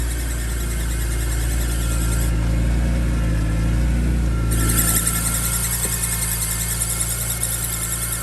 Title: 2005 BMW E46 M3 Squealing sound (thoughts?)